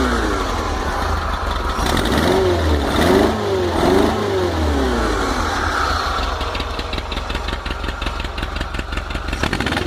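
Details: VW T25/T3 Devon camper engine, completely fresh cold start with no choke, throttle tickled to warm it; revs pick up cleanly from the idle circuit into the main jet circuit with smooth, even pull and no stumble. Normal revving.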